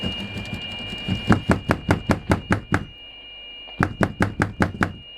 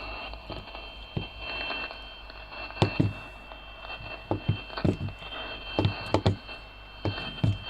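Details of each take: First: CB radio on 27.615 after repairing intermittent receive by removing and bypassing faulty components in the signal path; steady high tone holds unbroken through sharp taps, reception now solid. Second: CB radio receiving a steady tone on 27.615: the tone cuts in and out with crackly bumps as the set is moved. Intermittent receive from a break in the signal path, such as a cracked solder joint, loose component or missing ground.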